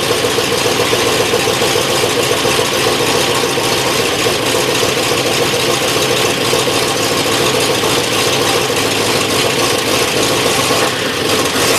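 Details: 1963 Oldsmobile V8 on its first run after reassembly, cold and untimed, smoking indoors: loud, rough, lumpy running with an irregular stumble instead of an even beat, a misfire.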